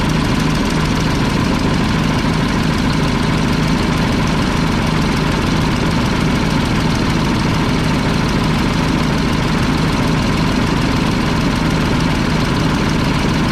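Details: Mack tank truck diesel, believed 1995, 122,000 on the odometer, after tightening the injector lines: loud, rough idle with one cylinder missing. Owner suspects a loose delivery valve; bad exhaust and fuel leaks also present.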